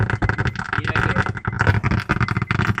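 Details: 2006 Honda Accord 7 head unit with built-in amplifier, giving rough crackling, hiss and clicks from the speakers in every mode, with volume unresponsive. Suspect solder joints on the amplifier board; resoldering them fixed the radio.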